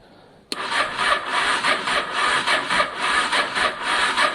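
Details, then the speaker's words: Honda Deauville motorcycle after carburetor clean, choke on, fuel pump not heard priming, battery issues: sluggish, labored cranking about two strokes a second that never fires; turns over too slowly to start, cause not confirmed. "It's spinning quite slowly, actually, isn't it? It doesn't sound healthy at the moment, actually. It doesn't sound healthy at all, but it does bother me."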